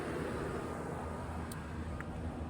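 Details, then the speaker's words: Outdoor split-system condenser at machine-shop office, verified running after jumping out a thunderstorm-fried thermostat, ductwork starting to cool: steady low hum and fan rush at even level; normal operation. "Okay, so basically what I'm doing is I'm doing a visual inspection right now. I'm just coming out to verify that our condenser is up and running since I jumped out that thermostat. Now, we are obviously up and running."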